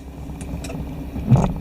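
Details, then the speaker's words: 1996-98 Chevrolet 4WD truck after 4WD selector switch replacement: low engine rumble, then one solid clunk as the transfer case shifts through neutral into four low; normal engagement. "we got to go to neutral to get into for low you'll hear a big clunk"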